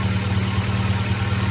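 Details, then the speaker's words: Acura Integra GSR, B18C1 all motor, first start of the year after an ACT clutch and lightweight flywheel install, sat a while and took a minute to start: even, steady low burble with a regular pulse, no knocks; idles cleanly. Clutch sticks and needs bleeding or adjusting. "Woo! Yeah, buddy. Sounds good too. You good? Yeah. There we go. It took a minute to start because it's been sitting for a while."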